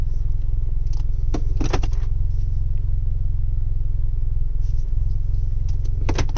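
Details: 2018 Chevrolet Camaro 2.0 turbo: deep steady engine rumble with short bursts of light metallic rattling now and then; the source of the rattle is undiagnosed.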